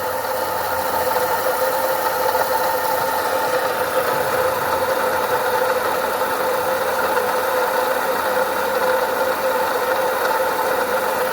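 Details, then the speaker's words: 2011 Ford Ka, engine idling: constant whirring hum over a steady idle with no knock; worn water pump bearing with rotor play, not engine internals; replaced with a new pump. "ó Vocês estão ouvindo o barulho né a bomba d'água"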